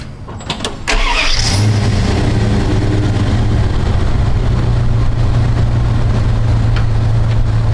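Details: Square-body Dodge Ram after a no-start wiring repair, low battery, reported history of overcharging at 16-17 V: starter cranks briefly, catches within a second and settles into a steady, even low idle with no misses or knocks while charging voltage is checked.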